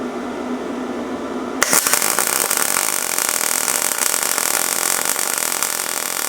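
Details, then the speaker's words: Yeswelder MIG-205DS MIG welding steel coupons with shielding gas: after a quiet start the arc strikes into a steady, even crackle like frying bacon, no pops or buzzing; a good weld. "Listen carefully to the sound it makes. It should sound a little bit like cooking bacon, a little bit of a crackle without pops or buzzes."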